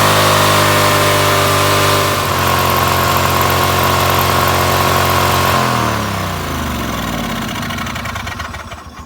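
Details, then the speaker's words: John Deere LX188 after carburetor install, cold start with throttle switch on low: small engine screams at high steady speed without being revved, then winds down; overspeed, possibly from a wrongly installed carburetor or something stuck. "So apparently I don't need a solenoid, and that is an over rev. Cold start, over rev. As you can see, I had the switch all the way to low. I didn't even rev it up."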